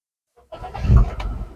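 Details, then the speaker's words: Used car inspection, engine started without a test drive: brief starter crank, catches within a moment and settles, a quick healthy start suggesting no compression problem; warning lights all go out afterwards, no malfunction. "nah staternya pun gampang Kalau staternya agak lama bisa jadi dari akhirnya udah sholat atau ada masalah pada bagian kompresi"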